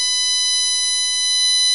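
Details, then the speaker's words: Ghazanfar Ali generator (AliGen v1) replica on battery under signal-generator pulsed drive: steady, piercing high-pitched whine of several stacked tones as the ferrite cores sing. Normal operation, drawing about 1.5 A with 25 V across the cap. "When I connect this, the ferrites you'll hear them start singing."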